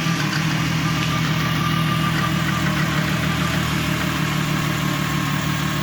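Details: VW MK4 R32 turbo build, first start after rebuild with re-ringed original pistons, honed cylinders, new rod bearings, HPA head spacer and turbo: even, steady idle with a low throb, no knocks or rattles; running cleanly.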